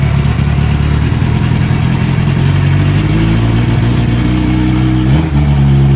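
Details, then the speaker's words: Fuel-injected Suzuki GSXR 600, stolen and recovered, hot-wired to run with no exhaust muffler and a heat-operated exhaust valve, barely run yet. Loud, raw, low rumble at a steady fast idle with a slight dip. Runs well, but throttle response is lazy. "runs really well from the way it sounds obviously i'm missing an exhaust a muffler uh and you can tell the throttle response isn't quite there"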